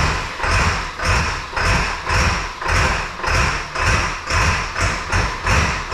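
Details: 2002 7.3 Powerstroke diesel, unrefined tune (HP Tuners), glow plugs cycled, about 60°F: slow, even cranking about one turn per second with rattly clatter. Slow to catch but a normal cold start.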